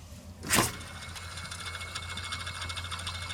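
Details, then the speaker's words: 2007 Ford Focus SE 2.0, old idler pulley spun by hand from above during tensioner and serpentine belt replacement: dry, gritty rumble with rough rattle on coast-down, a worn idler pulley bearing. "Hear all that noise? That tells me it was a good call to go ahead and change that idler pulley while I was doing the tensioner. Shouldn't be making all that noise."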